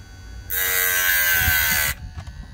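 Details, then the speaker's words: Hard-disk (HDD) motor with a 6 cm diamond disc cutting stone, not at full speed: a high, steady buzzing whir holds an even pitch through the cut without sagging or stalling; the motor pulls the load normally. "Evet durduruyorum ve gösteriyorum motor son devrinde değil Dostlar Evet Dostlar Saniyeler içinde gördüğünüz sonucu o motor durmuyor bu ve tam devrinde değil"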